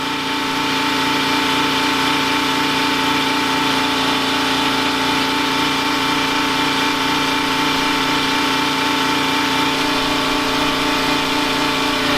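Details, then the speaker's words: Detroit 3-53 diesel generator in a 1977 Peterbilt 359 motorhome, heard inside without insulation, carrying heaters, air conditioners and a 13,000 W instant water heater: steady, loud drone with slight labour; holds speed under heavy load. "So it's still running. I wanted to give you an idea how loud it is in here. It's pretty noisy."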